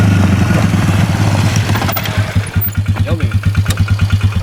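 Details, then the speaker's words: 2003 Polaris 330 Trail Boss ATV on a test drive right after fitting a new drive belt: steady single-cylinder thumping with a faint irregular clunk underneath, which the owner attributes to the very loose belt. "you might have heard there's a little clunking so actually make sure you do stay tuned because this belt is very very very very loose"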